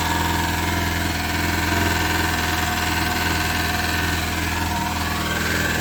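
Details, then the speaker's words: Lada classic (Zhiguli), just started after battery recharge and knock fix; steady idle with even low drone and faint scraping rub on top, strange unidentified noise, owner unsure of source. "какой то очень непонятный звук происходит и знают куда но этот звук очень какой-то странноватый такой"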